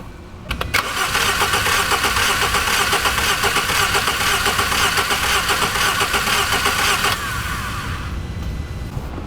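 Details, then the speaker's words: 2015 Jaguar XF 2.0L four-cylinder with a dead misfire, cranked in clear-flood mode to hear compression rhythm: lopsided, limping crank at about two beats a second, sounding like two cylinders with low compression rather than the expected one. "with a single cylinder misfire I would expect it to only have one low compression but since it sounds like two"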